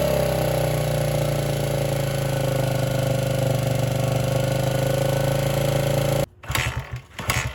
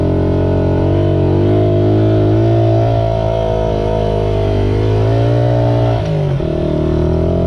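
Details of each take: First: 1978 Honda XR75 single, first run since about 1989 after restoration; small single buzzes unevenly at fast idle, then cuts out; would not idle or drive well, low on power; timing and compression checked. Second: Restored 1978 Honda XR75, last run around 1989, after a misset adjustment was corrected per the manual: the small single revs smoothly and evenly, pitch rising and easing with the throttle, with no misses or knocks; normal running.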